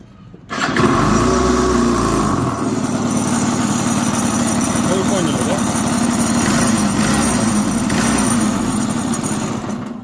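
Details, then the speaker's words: Yamaha Jog 39 scooter, running: rattly two-stroke buzz with hard, fast knocking from the engine. Transmission, variator, clutch and belt checked fine, crankshaft seal starting to leak, no crank play felt; engine needs removal and teardown. "всё в трансмиссии хорошо с вариатором хорошо со сцеплением хорошо с ремнём всё хорошо но звук идёт с мотора просто адский"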